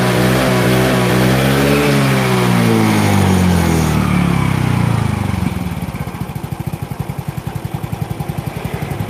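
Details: Yamaha Mio J fuel-injected scooter after fitting an injector borrowed from another bike: revs up and down cleanly without stumbling, then settles to an even, steady idle putter; difference felt immediately, normal revving.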